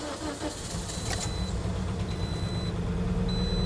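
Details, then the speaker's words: 2010 Toyota Corolla 1.8 L with immobilizer codes B2797 and B2799, started with a new key: engine catches quickly and runs a smooth even idle with a warning chime over it, security light on; healthy start. "Oh, check that out. The engine is running. I mean, the security light is on. The engine is running."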